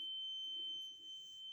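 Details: Carbon monoxide alarm sounding a continuous steady high-pitched tone at night, heard loudest in the hallway; source hard to locate, later found as a small cellphone-size box on the floor.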